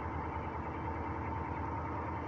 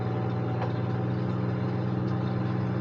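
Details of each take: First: Northstar V8 at idle misfiring hard: a rough, uneven, stumbling low throb. Later it may straighten out, with a ticking the owner fears could be rod knock. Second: A salvage-auction vehicle started with a jump booster idles with a steady, even low hum and no misses or knocks. It runs very well, with only a headlight warning because the headlights are smashed.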